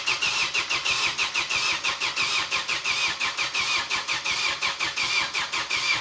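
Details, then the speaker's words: Opel Astra first start after an engine swap, battery weak and injectors unplugged: starter cranks in slow, uneven pulses about one and a half a second with a whirring tone, and the engine never catches. "Here goes nothing. That's not good."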